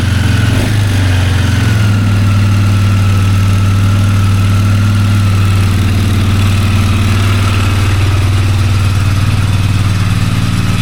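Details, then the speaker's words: 2001 Polaris Sportsman 400 single-cylinder ATV after oil change and reassembly, started on choke with fuel on: steady, even idle with no knocks or misses; sounds healthy, idle needs slight adjustment. "Sounds great. Sorry guys, battery died there. So, as you can hear, just adjust the idle a little bit. Everything's working."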